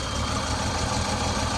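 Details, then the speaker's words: 1964 Mercedes-Benz 220 SEb W111 coupe, original M127 six with Bosch mechanical fuel injection, 64,393 miles, automatic: even steady idle, smooth low rumble, no ticking or knocking; no smoke or valve train noise, healthy. "And as you can hear, it holds a really nice idle. It runs great, it doesn't smoke, it has no valve train noises or anything, and the mechanical fuel injection seems to be in great working shape."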